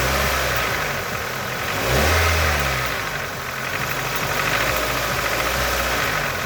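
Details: Nissan QG18DE engine idling with a fast rapping knock over the running, louder on a light throttle blip; cause of the knock unknown.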